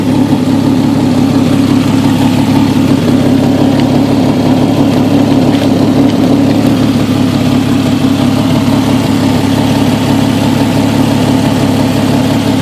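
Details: Jeep XJ 4.0 ('98 motor), coil refitted with custom straps: steady idle with an uneven, lumpy beat as a cylinder drops out now and then. Misfire at idle, cause not yet found.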